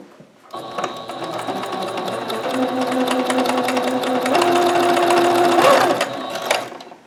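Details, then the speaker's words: Singer Ingenuity sewing machine after repair of a jam (needle clicking, not sewing, thread caught on hook) by adjusting hook/bobbin timing: fast, even needle clatter, about two stitches a second, no catching or knocking; pattern pretty even, sewing cleanly. "The pattern's pretty even."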